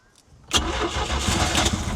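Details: 1978 Sylvan boat, 2.5 L inline-4 Mercruiser 120: starter churns briefly, then the engine catches and settles into a rough, uneven idle; hard starting, owner suspects no spark again.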